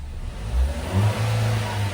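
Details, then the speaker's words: Chevrolet Trax, about 32,000 mileage, often left sitting, after cylinder head repair, no check engine light: quick blip picks up cleanly then holds a steady, even note with no misses or knocks; normal free rev before road test. "Maganda na siya i-rev. So road test na lang."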